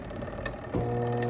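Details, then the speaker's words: Washing machine, wash motor fed directly with the timer bypassed: steady low hum but no spin, same noise as before, so the timer is fine and the fault is the motor's seized bushing. "Okay, hace el mismo ruido. Eso quiere decir que el time está bueno, que el problema es del motor."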